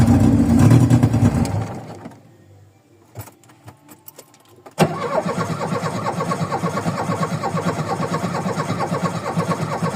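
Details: VW Voyage cold start after sitting many days, worn old mechanical parts: engine catches and revs, dies, then restarts into an uneven, lumpy idle with a wavering beat; hard starting and rough idle.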